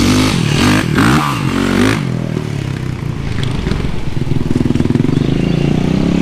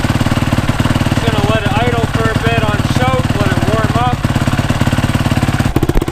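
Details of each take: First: Rebuilt Yamaha YZ450 engine after replacing stretched timing chain: fires and settles into steady even beat, no ticking or rattle, much quieter than before. Normal running. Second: Freshly rebuilt Yamaha YZ450 single-cylinder, kick-started after sitting two or three weeks; fast light high-pitched ticking over lumpy idle alongside normal low cam rocking; stretched timing chain tick, later fixed by new chain.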